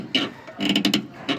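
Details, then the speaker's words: Renault Sandero rear brake load-sensing valve (corretor de frenagem) linkage worked by hand from under the car: short, squeaky rubbery creaks, the creak heard over speed bumps and potholes as the axle moves; fix by tightening its nut. "essa acha aqui ó ela fica fazendo um barulho ó se dá para vocês escutar aí vou tá bem próximo esse movimento que eu tô fazendo aqui"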